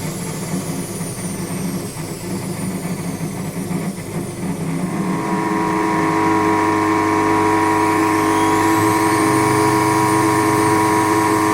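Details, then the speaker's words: Indesit WS84TX washing machine during high-speed spin and draining; loud steady strained droning hum and vibration from the drain pump motor; advice is to check hoses for debris and replace the pump. "При отжатии и откачке воды наблюдается посторонний шум, то есть когда при больших оборотах начинается отжатие, слышен какой-то посторонний шум и слышно вот вибрации именно того моторчика, который откачивает воду."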